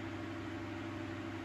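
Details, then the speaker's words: 1980s Sanyo 9-inch oscillating fan (2-speed shaded-pole C-frame motor), unoiled before restoration, just switched up to speed two (high): quiet, even whir with a faint steady tone and no rubbing or clicking; spins up and runs fine. "oh yeah now that's a big improvement or i should say a big jump from low speed"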